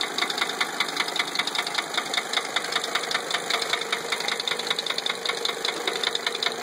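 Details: 1980 Mercedes 300SD diesel, just after a valve adjustment: a sharp, regular knock at idle, about 2.5 per second, unchanged by the adjustment. An engine knock of unknown source.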